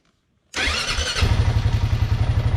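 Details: 2009 Honda Rubicon T500 ATV with battery-drain complaint, battery fully charged: brief starter whir, catches within a second and settles into even, steady idle; starts cleanly, normal.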